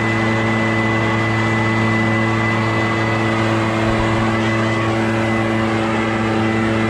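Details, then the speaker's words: Barn-find Echo PB650 backpack blower on fresh gas after years stored, clearing a shingle roof: strong, steady high-revving two-stroke drone with constant fan roar, no dips; normal running under load. "so it's working pretty dang good"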